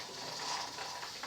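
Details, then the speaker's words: Presto pressure canner on glass cooktop, brought up to 14 to 15 psi: soft steady hiss with light irregular rattle as the regulator weight gently rocks on the lid, adjusted so it isn't going crazy; normal pressure regulator rocking. "and you just bring it up to whatever your poundage is your psi and let adjust it so that that little regulator is gently hissing and kind of rocking you don't want it going crazy"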